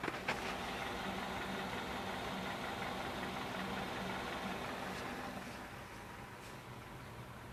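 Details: 2015 Kia Rio at warm idle: fairly regular light tapping, about four per second, over the engine hum; engine knock, cause unclear.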